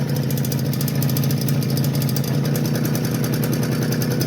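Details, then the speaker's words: Suzuki LT50 two-stroke after a crank seal replacement that did not cure it: fast, slightly uneven idle with a thin, weak note. It bogs and cuts out once warm, smokes, and owner suspects low compression. Uneven idle. "So, unsuccessful fix, to be continued. Just to prove she still runs."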